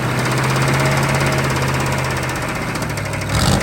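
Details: CUCV squarebody Chevy diesel truck, restarted after sitting, glow plugs reinstalled; idle with heavy uneven knock about three per second under the clatter, then shut down blowing oil and coolant out, hole in oil pan; rod knock.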